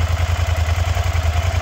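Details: Suzuki SV650 swamp-bike project, first start after a starter short (owner suspects a loose terminal): steady loping twin-cylinder thump at idle, evenly spaced pulses, no knocks or misses; healthy idle, slight smoke possibly cleaner burning off rear header.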